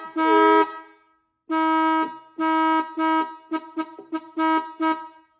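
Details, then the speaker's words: Restored 1950s–60s Ford Mustang dual horns tested after reassembly with the cover on: repeated honks carry only one steady pitch; one horn stopped sounding until its adjusting nut was reset. "Whoops. One of them's not working. One of them stopped working. See, that's why we test them."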